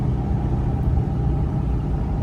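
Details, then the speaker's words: 7.3 Powerstroke diesel truck accelerating in third gear at low rpm after fitting a KC 300X Gen 3 stage 1 turbo, Riffraff up-pipe kit, deleted pedestal and boost fooler, 50 hp tune: deep even rumble, no whistle, flutter or rattle, no check engine light; normal turbo spool under load. "It's just like this just thing has power now. Like there's no noise. It just gives you power. It's just delivering."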